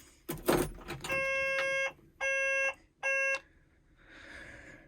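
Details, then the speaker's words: Doosan DX140LC-5 excavator that won't start, heard in the cab at key-on: three clean, even electronic beeps as the monitor boots normally, battery at 24.5 V; normal self-test before the engine fails to turn over. "everything boot up as it should so the cap comes on that's all right"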